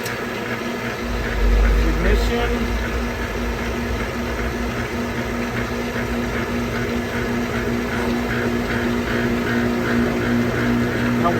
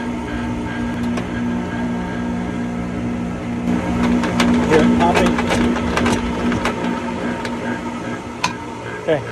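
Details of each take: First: Pentair MasterTemp gas pool heater that was popping, clicking and not heating, fired up after repair: steady even burner roar with a low constant hum, no popping or cracking; heater firing cleanly. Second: Pentair MasterTemp pool heater at light-off: steady burner hum with irregular sharp pops and crackles; failed bypass valve sends too little water through the heat exchanger, so water boils, making it pop and shake.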